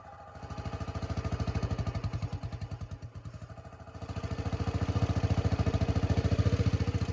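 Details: 1984 Honda 200M barn find, after replacing many parts and adding a new fuel line and filter: even, steady single-cylinder thumping at a relaxed idle without misses; normal idle.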